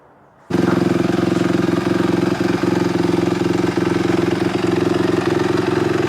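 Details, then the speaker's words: 2005 Honda CRF250X single after valve shimming, timing adjustment and carb clean, first start: even steady idle thump about three to four beats a second, no stray knocks; smooth, normal running. "Oh my gosh, guys. She is smooth. She runs amazing. So smooth. Give a little throttle."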